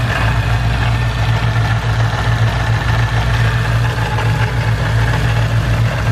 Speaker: this is the superchargers lovely new noise I'm gonna try to capture it the best I can